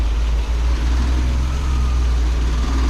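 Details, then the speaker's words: Triumph GT6 engine at warm-up idle right after new water pump fitted and coolant refilled; deep, steady, even rumble with no knocks or misses, running smoothly. "and she run again we're gonna let her warm up make sure we get all the bubbles out of the system"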